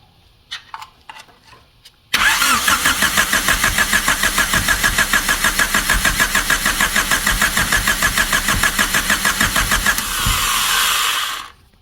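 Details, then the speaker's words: 1999 Honda Civic EK hatchback revived after sitting for years, distributor held by hand while adjusting timing; starter cranks evenly about 200 rpm for eight seconds, tries to catch but won't run; owner unsure of timing and firing order. "Yeah, she wants to she wants to fire. I just don't know uh if I have the right firing order on this car."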